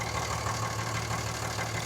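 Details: Cummins diesel pickup at idle after repair, once the belt that had been rubbing the crankshaft reluctor wheel was moved back into place; the idle is even and steady with a smooth low pulse and no rubbing or chirping, so the engine sounds healthy.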